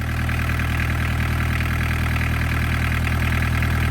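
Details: Barn-find VW Caddy pickup, mechanical diesel, off the road over 20 years, after first start: steady, even diesel clatter at idle with a deep constant drone, no misses or hunting; running smoothly.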